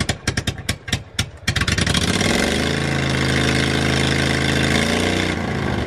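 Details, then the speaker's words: Propane-fueled generator in a school bus motorhome conversion, muffler not fitted; quick cranking pulses then it catches into a loud, raw, blatting steady run, stop switch not working: missing muffler. "James is going to fire up the generator doesn't have a muffler on it so it's going to be loud be"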